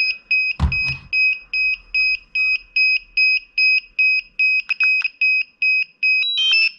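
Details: DJI Mavic Air remote controller beeping about once a second at power-on; not a fault, cleared by Remote Controller Calibration in the DJI Go4 app.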